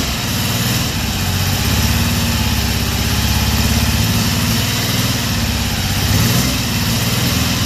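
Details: 1974 Triumph Trident fouling a plug: one ignition coil has broken windings, so it still sparks but weakly under compression. Lumpy low idle with an uneven, stumbling beat as one cylinder drops out: misfire from a failing ignition coil.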